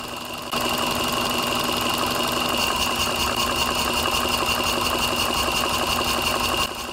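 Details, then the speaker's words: Power balance test on a running engine: disconnecting one fuel injector at a time makes the steady idle hum drop in RPM and roughen, then recover on reconnection, showing that injector is working; induced misfire. "if you pay attention you can hear that the sound also changed when RPM is dropping"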